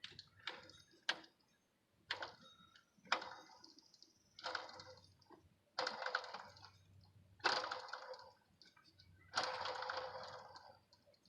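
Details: 2006 Chrysler Pacifica 3.5 with a loud serpentine-belt squeal at startup; with the belt off, the idler pulley is spun by hand: short, rasping, gritty bursts fading each spin; a worn idler pulley bearing.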